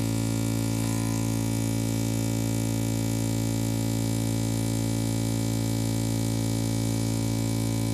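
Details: Opel Astra H with a CD30 MP3 head unit: a constant low buzzing hum with a whiny edge drones from the loudspeakers, unchanged throughout; interference noise in the audio system, source unknown.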